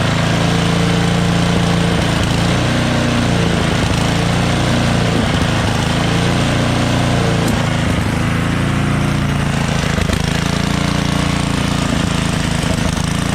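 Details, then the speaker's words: MTD Yardworks snowblower with a Tecumseh 13 HP engine, 33-inch, at high throttle: steady single-cylinder drone broken by a couple of sharp pops; intermittent backfiring, owner suspects sticking valves or a dirty carburetor. "so as you guys can hear it's kind of like not yeah a little backfiring right so uh the valves might be kind of stuck you know what i'm saying either that or the carburetor might have something dirty inside"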